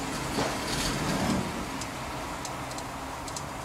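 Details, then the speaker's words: Wood-gas truck with carburetor removed: very slow, loping idle with light sympathetic rattles over a soft even chug, something it won't do with a carburetor on. Normal slow idle. "see if we can get it to idle nice and slow, This is something it wont do with a carburetor on it."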